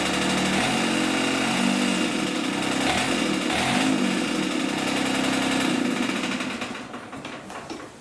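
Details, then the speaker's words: Diesel-swapped John Deere 400 at idle: steady diesel with repeated knock about four a second; from the shortened homemade driveshaft, not engine damage. "also it was knocking pretty bad it wasn't the motor it was the drive shaft down here that i made since i shortened it"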